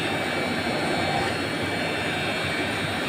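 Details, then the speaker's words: Polytron showcase chiller not cooling: loud, steady roaring hum from the front, where the condenser fan motor is seized and buzzing without spinning. "Kali ini saya akan membagikan tutorial cara memperbaiki showcase tidak dingin. Ini ada suara berisik sekali."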